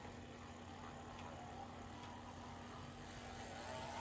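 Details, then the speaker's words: Athearn Genesis MP15 locomotive rebuilt with NCE DASR decoder and Mashima motor, test run on track: faint steady motor hum at one pitch, no stutter or grinding; runs smoothly, judged good to go. "good sounds pretty good actually we're going to call it that one is good to go"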